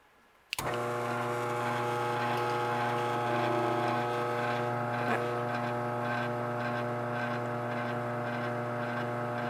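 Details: Garage door opener motor, set on a towel: starts sharply and holds a steady, even hum without rattle or grinding; normal quiet motor run.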